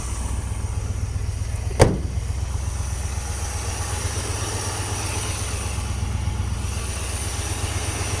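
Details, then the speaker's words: Scout, first key start, running with radiator cap off and topped up as it warms: steady, even low rumble after a brief click, no misses or knocks; normal smooth idle. "I'll leave the radiator off or a cap off and then we'll just keep topping that off as she warms up. She runs so good."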